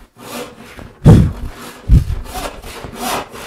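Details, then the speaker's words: Hand saw rip or crosscut chattering with heavy buzzing thumps. The saw has drifted out of plumb/square, so vibration and rattle increase toward the toe. A true cut runs smooth; the fix is correcting body mechanics and stepping left. "I saw out of Plum you'll hear a very distinctive rattle sound as the the saw is brought up out of Plum it increases the vibration and it continues to Rattle even harder as it comes near the top near the toe"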